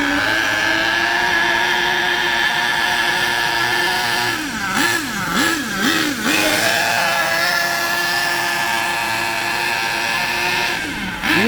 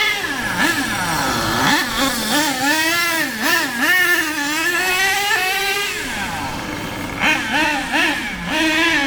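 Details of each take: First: HPI K4.6 nitro engine in a Savage 21 monster truck, cold during warm-up on a wet morning: high buzzy engine rises and falls with a blubbery edge and won't rev cleanly at full throttle, running extremely rich; it speeds up as it warms. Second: HPI Savage 21 monster truck with K4.6 nitro engine after low- and high-end needle tuning, not run flat out, one tire off rim, fuel low: high buzzing that climbs and drops cleanly through gear changes, no bogging; tune more or less perfect.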